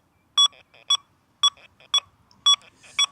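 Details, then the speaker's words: XP Deus II metal detector set to iron settings with silencer at 2: crisp, consistent double beeps about twice a second on each sweep, a clean target hit without iron chatter. "we see a silencer two hits that very very well."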